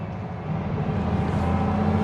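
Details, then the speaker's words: Spierings SK1265 AT6 crane diesel after repair of a single pipe following a reported loud bang and power loss: steady even drone climbing with load through low gears, no bangs or misses; running cleanly. "which I can't hear nothing. We're already picking up some power, which is good. So, that's definitely our problem."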